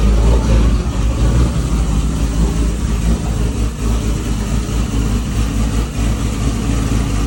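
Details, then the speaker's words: Toyota 2JZ after replacing two bent valves and reinstalling the head following timing belt tensioner failure: starts right up, smooth even idle with steady low hum, no ticking or knocking; normal idle. "She started right up. Motor sounds healthy. Super stoked to have her back up and running again."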